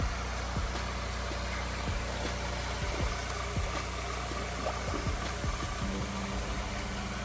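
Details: Honda S2000 project first running after a new wiring harness install: steady low, even idle with no knocks or ticks, some music over it; the engine settles into a smooth, quiet idle.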